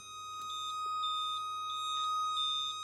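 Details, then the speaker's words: Ferrari F355 Spider with a door open: steady high tone with rapid beeps about three per second; roof interlock warning, doors must be shut. "your peeps going all over the place now okay so doors need to be shut"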